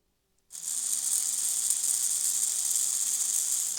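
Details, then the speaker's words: Old Hornby Class A4 Mallard model locomotive, after lubrication and gear oil on the pinion, unloaded bench run: steady high-pitched whir with no catching or grinding; motor spins freely, load on track still to be checked. "That sounds okay. We'll see what it's like under load though, when we get it running on the track."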